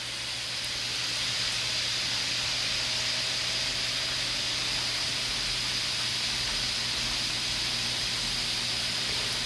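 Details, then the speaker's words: Panda stainless-steel spin dryer spinning a wet test load makes a loud steady high hiss and whine, much louder than a Ninja dryer running at the same rpm. "as it can hear the Panda is much louder that's really loud"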